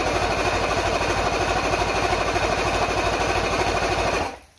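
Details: Mercury L4 two-stroke outboard on a stand after repair of a snapped main jet nozzle (stator and trigger still test faulty): catches first try and settles into a steady, fast, even run before shutting off; runs cleanly.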